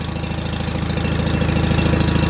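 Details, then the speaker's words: John Deere 316 lawn tractor engine in about 36°F cold, low on gas: single-cylinder thumping at a fast, fairly even beat that slowly builds; it only holds idle on choke, and the owner suspects a clogged carburetor idle circuit. "I'd say the idle circuit Jacks Clos is probably messed up cuz I shouldn't have to be choking"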